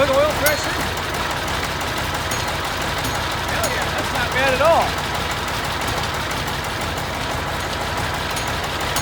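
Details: Junkyard Massey Ferguson 1155 tractor, long parked over a hydraulic issue, just restarted: low even diesel idle under outdoor noise, no knocks or stumbles; idling healthy.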